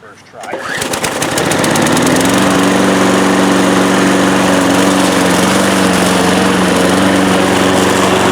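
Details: 1992 Cub Cadet push mower, nearly 30 years old: after a quick pull it catches, then settles into a smooth, even drone and holds a steady speed; a healthy mower.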